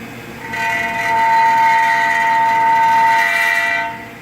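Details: Mazda 6 right front wheel turned by hand: loud steady metallic screech, not brakes (pads thin) but a rock jammed against the brake rotor.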